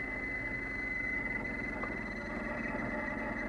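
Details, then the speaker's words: 2008 Mercedes-Benz CLS 550, engine running: old AC blower motor behind the passenger-side glovebox, already removed and oiled once, gives a thin steady squeal over fan air that rises and falls with fan speed. "you can hear it the squealing and squelching increases and decreases but it's it's just in line increase the AC here"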